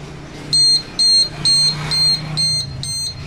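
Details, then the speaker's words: Household gas leak alarm tested with gas from a lighter: loud high-pitched beeps repeating about twice a second without letup; alarm sounds while gas is detected. "দেখতে পাচ্ছেন gas পাওয়ার সাথে সাথে এটা siren বাজা শুরু হয়ে গেছে। তো যতক্ষণ পর্যন্ত গ্যাস ঘরের মধ্যে থাকবে তো ততক্ষণ এই সাইলেন্টা বাঁচতে থাকবে।"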